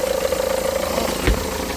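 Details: 2009 Seat Leon, engine running: fluttering whirr and dull thump at the front from the A/C compressor pulley wobbling because its centre bolt thread is stripped and won't tighten; crank pulley damper rubber also suspected.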